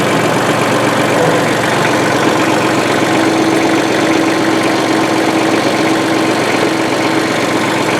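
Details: 1994 Ford/New Holland 1715 compact diesel tractor after its rusted, stuck clutch was replaced: steady, even clatter with a faint mid-pitched hum and no knocks or grinding, running normally.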